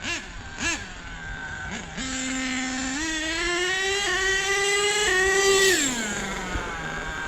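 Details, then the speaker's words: HPI Savage nitro monster truck with new clutch bell, spur gears and fuel mixture, low-end needle richened: revs and holds a high steady buzz rising cleanly with throttle, pulling the wheels well; throttle trim needed heavy adjustment. "Now it's got enough juice in him to pull the wheels like he should. Yeah, now he's working out good."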